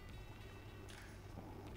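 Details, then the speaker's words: Synology RS1221+ rack NAS after swapping stock fans for Noctua NF-A8 fans, in cool mode: soft steady low whir, no rattle or whine, faint hard-drive chatter audible underneath; only slight noise increase over quiet mode, far quieter than stock fans. "So the fans, I mean just ever so slight increase in noise. I can actually hear the hard drives churning in the box even in cool mode with the Noctua fans versus the stock fans in quiet mode."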